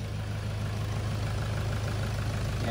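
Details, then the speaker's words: 2011 Toyota Hilux KUN26R 3.0 D4D 1KD diesel, manual, after replacing the 130 A alternator and drive belt: low, steady, quiet idle with no whine or chirp from the front, battery light off, engine keeps running with the negative terminal removed. "noise gone is good yeah sounds like d4d now yeah it's quite quiet now that's normal noise already"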